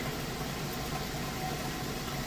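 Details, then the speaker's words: Maytag HE top-load washer, like-new, end of wash cycle: even low hum with steady rushing water, no grinding, rattling or straining; drain pump emptying the tub fast and normally. "It's draining the water out. You can hear it draining nice and fast."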